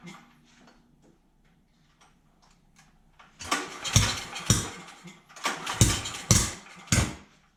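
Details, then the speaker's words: DeWalt generator that won't start, after setting valve clearances (intake 0.004 in, exhaust 0.006 in): after a quiet stretch, irregular sharp coughs and pops about two a second spitting back through the intake; cause later found to be a severely warped intake valve. "Well, it's still doing it. Something's wrong."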